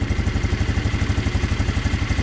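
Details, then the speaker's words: 150cc GY6 four-wheeler single-cylinder after installing a new carburetor: steady, even putt at idle but idling a bit high; the idle air control valve may need adjusting. "i got it that's a little high though you may need to adjust that idle air control valve that i showed you right right in there"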